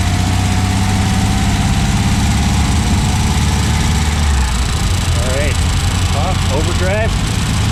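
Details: 1964 Triumph TR4 on first drive after DIY rebuild of TR3 3-synchro gearbox and overdrive, hot 95-degree day: steady low drone, even beat, no knocks, grinding or gear whine; gearbox solid, though overdrive solenoid not engaging in third/fourth.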